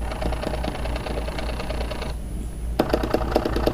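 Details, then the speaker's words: Orion DPL xx16G telescope azimuth motor slewing at rate five: uneven, skipping clicks and pops about five a second instead of smooth rotation, unlike the quiet elevation motor, causing jerky tracking. "that's not smooth you can hear it skipping and popping"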